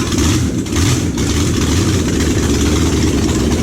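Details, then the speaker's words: Junkyard Oldsmobile 350 V8, long stored, on engine stand with new fuel pump, plugs, wires, oil, rebuilt carb: rough lumpy lope; two cylinders not firing, suspected water got in and no compression; misfire. "It's just not firing. 5, 7, and 2. So it's definitely the 2 cent, but it looked like water had gotten down in it, and those 2 cylinders just may not be making no compression, you know."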